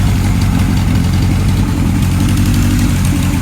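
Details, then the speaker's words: 1978 Kawasaki KZ1000 LTD after rescue rebuild with new rings, still warming up: deep, even four-cylinder burble at steady idle, no ticks, knocks or stumbles; expected to smooth further as rings break in; normal idle. "Sounds like it's going to straighten out the more it warms up. Let the new rings break in and everything."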